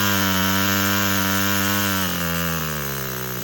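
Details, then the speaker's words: Four-stroke nitro RC crawler with a Revo 3.3 transmission, first start on a glow starter with no driveshaft, so no load. A high, buzzy engine revs clean and steady, then drops a step and eases down smoothly with no misfire. "So for right now, we're going to use the glow starter. We're just going to crank it up."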